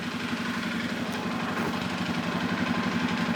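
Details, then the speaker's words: 2005 Suzuki King Quad 700 ATV, warm idle, microphone moved around the motor: a steady knock about three a second rides the engine beat, with blue exhaust smoke when revved; top-end versus bottom-end source unknown, rebuild considered. "so you heard the knockin I kind of moved the microphone around a little bit to see if you could tell where it was coming from on the motor whether it's top end or lower end"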